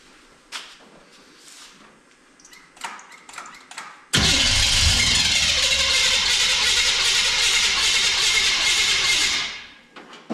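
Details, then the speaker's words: 1966 Chrysler Newport convertible cranking after sitting for years: after some clatter, about five seconds of loud harsh grinding as the wrong starter chews things up; a different starter fixed it and then sounded perfect. "And then the starter just sounded like it was just chewing everything up to heck, which it was."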